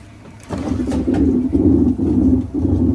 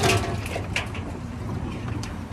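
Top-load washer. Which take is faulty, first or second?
first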